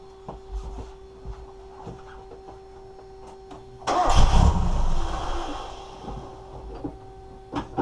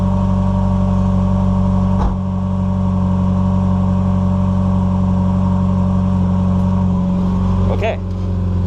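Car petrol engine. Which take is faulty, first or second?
first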